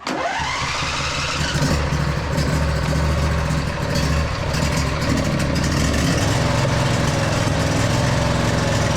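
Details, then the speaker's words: Husqvarna YTH2242 with a Briggs V-twin, after sorting a bent push rod, replacing the sump gasket and seal, and setting the governor linkage. Good compression on both cylinders. It catches quickly and runs an even, deep lumpy idle with a slight surge; healthy. "Slight surge in there. Not bad though."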